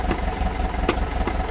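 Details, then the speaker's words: Air-cooled 1800 flat-four with Kadron carbs replacing Dellortos, stock pushrods, full 1 1/2 inch header: cold engine ticking over with slow, slightly lumpy beat; idle speed a little too low. "that's a little bit low on the RPM come on baby"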